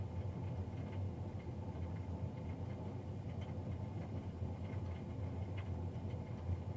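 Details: Navien NCB-240 boiler recorded Feb 3, 2020, three days after a Jan 31 service: constant low droning rumble with faint steady hum above, no speed change; fan unusually loud.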